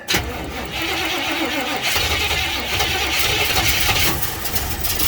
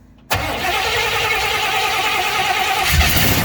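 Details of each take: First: 1956 Chevy 210 with a V8 and automatic transmission, choke held closed: a six-second harsh starter grind with no firing, then it cuts out. It cranks but won't start; the owner suspects a bad starter, which drained the battery quickly. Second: 1956 Chevy 210 V8 automatic, started off a jump box: brief starter grind, then the engine catches within a second and settles into a steady, even run without stumbling; it runs.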